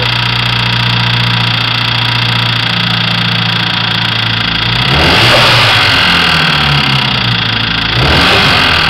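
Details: Mazdaspeed3 engine blown by too much boost: idles then revs hard with a rough, rapid metallic clatter rising with rpm; spun rod bearing knock.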